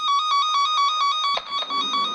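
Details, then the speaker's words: Cen Tech cable tracker probe on an intact, de-energized wire next to the transmitter: a loud warbling tone pulsing about five times a second, steady and unbroken as it follows the wire. "So you can see I have it connected here. It's loud because it's right by the transmitter."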